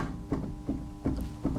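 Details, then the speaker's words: Small BMW, suspension, shock rocked by hand with camera near the strut top: dull clunk about every third of a second in time with each push, clearly bumping at the top of the shock; worn strut top mount bearing. "There's something clearly bumping there and it's so clear that I can show it to you on camera from here."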